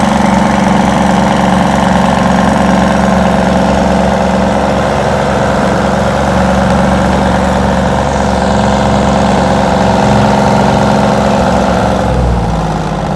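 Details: 60-year-old Massey Ferguson 98 tractor with a Detroit Diesel GM 3-71 two-stroke, just restored; loud, steady, even diesel drone with a busy mid-pitch buzz, holding constant speed before easing off; runs smooth and healthy.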